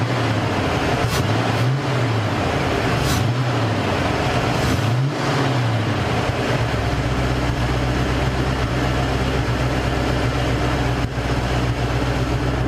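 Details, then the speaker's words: Mercury Cougar V8 after fixing a major misfire, exhaust smelling better: brief blip then steady even low rumble at idle with no stumble or skipped beats; misfire gone, running clean. "Yep. Misfire's gone. She sounds good."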